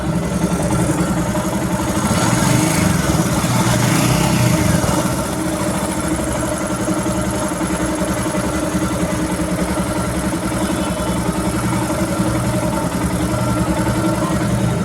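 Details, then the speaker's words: Himalayan motorcycle just after its 4th service with oil and filter changed, idling: light, fairly regular ticking, about three or four per second, from the lower left of the engine. Present since purchase and worse on long rides; cause unknown. "ఇక్కడ కింద left side మనకి engine దగ్గర ఈ sound వస్తుంది కిచ్ కిచ్ కిచ్ కిచ్"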